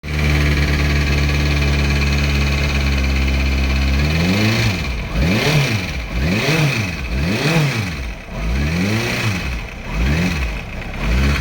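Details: 2006 Kawasaki ZX-6R 636 four-cylinder with a loose cam chain tensioner, idling then blipped about once a second: timing chain rattle.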